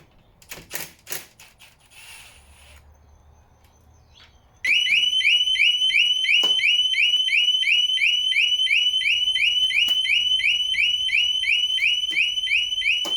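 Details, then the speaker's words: 2017 Harley-Davidson Big Cam with clicking starter problem: loud high warbling alarm cycling about three times a second, set off by pulling the battery leads with the ignition off; turn ignition on with fob present before disconnecting. "as you can hear I set the alarm off when I pulled the battery leads off so to stop that happening what you need to do is turn the fob uh turn the key ignition on and then remove the battery leads with it in the on position"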